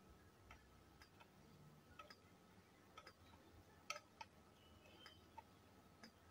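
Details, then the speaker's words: Godox Mini K-150 studio flash after repair of no-firing and power-drop fault, at low power: sharp, crisp, clean pops at irregular intervals. Flash fires normally. "kita coba tes menggunakan Trigger ya melalui kabel sinkro ini teman-teman ya kalau dicolok langsung ngeflash berarti ini normal"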